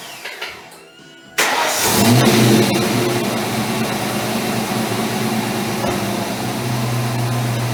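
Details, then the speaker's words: Ford Mustang with underdrive alternator, water pump and crank pulleys, after new Gates serpentine belt install: starter cranks briefly, engine catches, steady even idle with no belt squeal; healthy. "all right so it sounds like it's running fine you can see the gates logo they're running through every once in a while"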